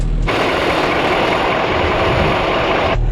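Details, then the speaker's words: 1986 dump truck, 34 years old with 118,000 miles, started easily: it settles into a steady, even diesel clatter at idle with no misses or knocks; it runs well with good air pressure; normal diesel idle. "wasn't exciting at all wow she runs good though"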